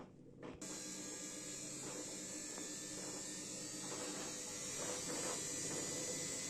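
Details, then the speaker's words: Samsung 7 kg washing machine after drum bearing replacement, spinning: steady soft motor hum with a light hiss of water and no rumble; the earlier airplane-like noise is gone. "arkadaşlar makinede İşlem tamam Şu anda herhangi bir sıkıntısı yok duyduğunuz gibi dönsün dönebildiği kadar"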